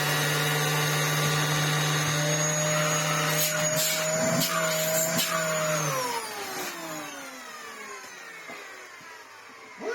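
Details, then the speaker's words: Dyson DC07 Argos Special after a belt change: a steady, high motor whine that winds down smoothly at switch-off with no rattle or grinding. The note sounds slightly different, but it runs fine. "know it sounds a little bit different but it seems to be running absolutely fine"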